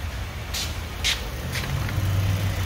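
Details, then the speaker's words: 2012 Ford Edge 3.5 after a crossed-cable jump blew the 120 amp fuse at the battery terminal, fuse temporarily jumped to keep it running until replaced; steady low hum with even idle, no knocks or misses; normal running. "so I jumped it from here to here so that the car will stay running until we get a new fuse"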